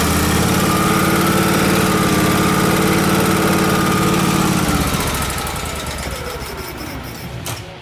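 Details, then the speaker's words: Miller Trailblazer welder engine after fixing a loose fuel pump clamp: chugs a few beats per second then fades and dies; suspected lean from vacuum leak between carburetor and engine or fuel delivery issue, runs fine choked. "it has a vacuum leak between the carburetor and the and the engine because it's just getting too much air you can see it's fine if I choke it down but then it there's just too much air there for the fuel"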